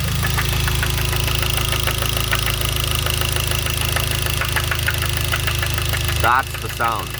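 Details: Hyundai Genesis 2.0T idling: sharp regular knock keeping time with the crank; rod knock from a spun bearing after oil pump failure starved lubrication, with no oil warning or limp mode.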